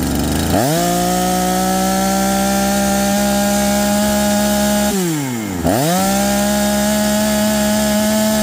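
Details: Holzfforma G372 chainsaw with 24-inch bar, after replacing leaking crankshaft seals that stopped it tuning: strong high steady scream in the cut, dips briefly and snaps back to full revs without bogging; normal running under load.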